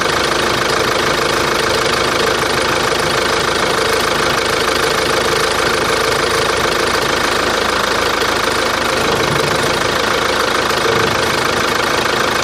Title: Каптива дизель. Посторонний шум двигателя